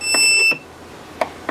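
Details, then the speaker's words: Trash-found Electrolux Ergorapido Lithium battery vacuum: short sharp high-pitched buzz cuts off after half a second, then two faint clicks; fan motor seized, can't turn by hand, motor straining against a jammed fan; owner doubts the blamed bad battery. "I don't really think that's the case because you can hear it making a rubber valiant effort at actually turning around"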